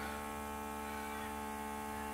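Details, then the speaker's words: DIY vacuum pump for storing 3D printer filament in bags: mini 370 vacuum pumps on silicone tubes, fed by a 4-port USB supply (5 V, 4.2 A) and switched on one at a time. A steady, even, high-pitched "symphony" of motor whine with audible suction and no wavering or rattles; the pumps run normally. "two that's right well it sounds like a symphony and I can definitely hear it sucking so just test it"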